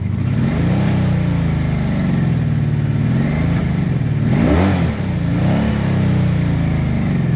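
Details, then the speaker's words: Honda V65 Magna motorcycle, woken after storage, blips and falls back with a lumpy, uneven exhaust note: misfire, not running on all four cylinders; owner plans to check plug caps and the filter under the seat. "All right. So, that is not running on four cylinders."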